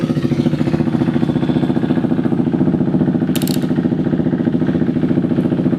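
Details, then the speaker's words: KTM Duke 390 V2 single, after tapping the stuck fuel pump back to life: steady even idle, no stalling or hunting, starts on one click; battery at 13.6 V, possibly low after repeated starts. "So far so good. Hindi na namamatay yung motor tapos one click lang andar agad."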